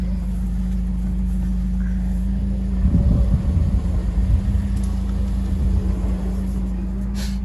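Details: 2015 Toyota Corolla LE with electric power steering, wheel turned with handbrake on after a temporary tie rod fix: steady low engine hum with brief low rumbles and no whine or squeal; worn tie rods caused the earlier whine.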